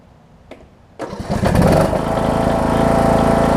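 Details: John Deere D110 mower's Briggs single-cylinder engine after an engine rebuild (original fault was a loose flywheel magnet), warm start: a short tug, then it catches and settles into a steady, even putter with no knocks or misses; healthy running.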